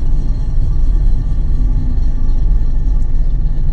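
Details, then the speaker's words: Toyota Aygo driving after a new front wheel bearing was fitted: only steady low road and engine rumble, with no growl rising with speed; the bearing noise is gone, though another noise remains and something may be rubbing the disc. "ben on en a plus le bruit de roulement on n'est pas loin du compte"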